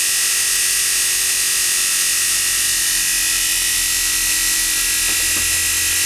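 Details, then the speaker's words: 750W Bosch motor rewound as all-north generator, magnets at factory settings, output 20 V at about 4 A, 2760 rpm: steady high-pitched hum with even pitch, no rattles, surging or bearing noise; runs very smooth. "It runs very smooth, as you can hear. I still believe we can do some minor adjustment on the magnets."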